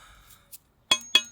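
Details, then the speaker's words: Motorcycle's cheap aftermarket brake disc, removed after overheating: two light taps give short tinny clinks that die quickly instead of ringing clear; cracked brake disc. "you can hear where it's cracked I can't see any other cracks but not good"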